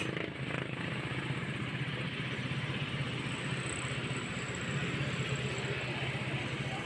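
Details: Motorstar Star X 125 single-cylinder after repair of the very noisy engine: quick, even putter with no internal dragging or knocking as before. It runs clean, but the idle is still set a bit high.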